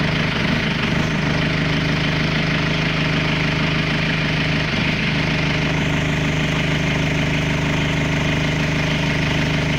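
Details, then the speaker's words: Audi 80 B3 1.9 TD diesel at cold idle right after starting at about 0 to -1°C, unused for 2 days: even, steady clatter with no misses or knocks. Healthy for this engine. "To je taj zvuk tog 1.9 TDI-a. To jest TDI, ne TDI-a."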